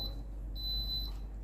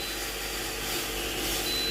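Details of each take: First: Philips GC6720 (GC67XX) steam generator iron with orange light flashing constantly and continuous beeping. Repeating high-pitched beep, half-second on/off: descale reminder. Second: Philips GC6720 (GC67XX) steam generator iron during descale cycle after holding orange button 2 seconds at max heat; light, steady hissing hum with faint high whine, no rattle; small water pump running evenly for 2–3 minutes, normal descaling operation.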